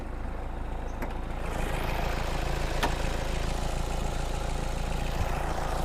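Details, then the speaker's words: 2005 Toyota Innova G manual, 2KD diesel, odometer in the 300-thousands km, after engine restoration of a previously very bad engine: soft, even idle with steady low thrum, no clatter or knocking; normal idle. "Sekarang dengerin nih teman-teman, suaranya udah halus. Coba tuas olinya kita tarik nih, tanpa ngobo sama sekali."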